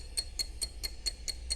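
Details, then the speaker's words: 1960s Kienzle 606C German clock, after full disassembly, cleaning and re-oiling, solenoid rewinding the spring, microphone on the speaker: crisp, even ticks about four per second with steady spacing and no skips; running healthy. "That one. It's working pretty good. It's all clean. I took it all apart, reoiled it."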